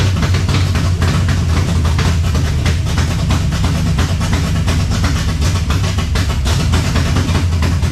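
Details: 1970 Chevelle with Holley Sniper 2 fuel injection, alternator unhooked, warming up: loud, deep idle with uneven chuffs and missed beats; rough idle, suspected IAC settings, distributor cap, rotor or valve adjustment, unconfirmed.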